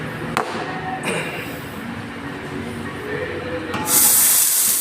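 Steady airy hiss with a few soft knocks, rising to a bright even sizzle; the milk is stretching and steaming properly.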